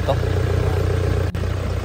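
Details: 2019 Toyota Hilux diesel that was hard to start and emitted black smoke, idling with a heavy, throbbing low rumble that surges like laboured breathing; it stayed rough even after injector repair, blamed on worn injectors.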